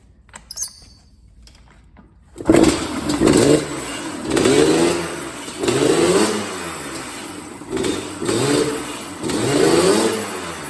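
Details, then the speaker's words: 1986 Yamaha Banshee two-stroke, engine rebuilt elsewhere, lacks full power: catches and idles but revs in short blips that fall back without reaching full RPM; cause found as carburetor main jet loose, fallen into the bowl. "Yeah, man, the bike, as you can see, it idle, but it's just not getting that full, hitting its full RPM, man."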